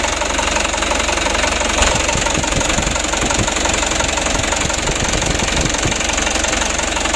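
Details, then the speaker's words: Mitsubishi Canter HD 125 diesel (possibly 2025) after Bosch injection pump repair: even clatter at a low, steady idle, about four beats a second, no stumbling; healthy idle. "untuk jarum rpm nya kita usahakan 600 teman-teman 610 20 juga masih bisa ya"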